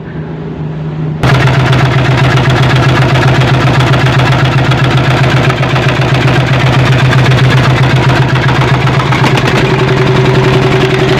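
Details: Single-cylinder diesel fires up after replacing a damaged cylinder head gasket that leaked water into the air filter and exhaust; a steady, even thump at about four beats per second, no misfire or knock, running healthy after repair.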